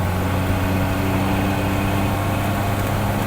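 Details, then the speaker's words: Classic Reliant Regal, 750 cc side-valve engine, on the open road in top gear at about 30 mph with more throttle: smooth, even drone at steady pitch, no knocks or rattles; healthy. "quite a nice sound. That's just in top speed and well top gear."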